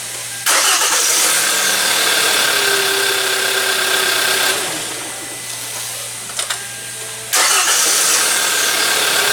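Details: Hyundai Elantra GT with intermittent no-start, after contact enhancer applied to connector terminals: short even cranking, catches promptly and settles into a steady idle; starts cleanly, fault not reproduced.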